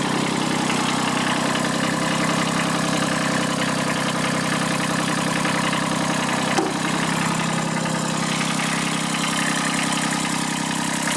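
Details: Kubota B7001 diesel tractor, about 10 °C, just started after two months unused and a hard cold start, in neutral: even diesel clatter at steady idle, no misses or surges; normal idle.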